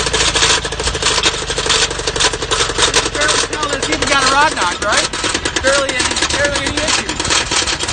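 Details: Subaru with a large hole in the top of the block, said to have died on the way to work, restarts; loud rapid metallic hammering at idle, severe rod knock.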